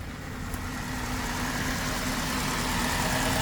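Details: 2003 Saturn Vue AWD after an off-road accident, first start: even, steady hum with no knocks or misses, rising slightly in level over a few seconds, engine ticking over; normal idle.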